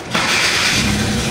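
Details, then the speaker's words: Hyundai Accent 2014 automatic, previously hard starting (needing about five tries), shaking and low power: after repair, short crank and engine catches on one click, settling straight into steady idle; normal quick start. "ayun one click na. Oo one click na lang dadahan din."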